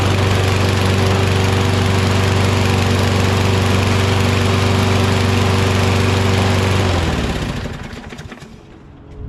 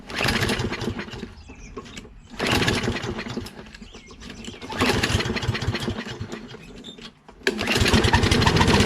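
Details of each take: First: Curbside Toro Recycler XT675 Kohler mower after a wash, new wheels and carb spray: steady, even chug about four a second with a constant drone, winding down cleanly at shutoff; runs great. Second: Curbside Toro Recycler XT675 Kohler mower, contact cleaner sprayed in as starting fluid: catches in three short bursts, each fading within seconds; spark present, runs only on the fluid.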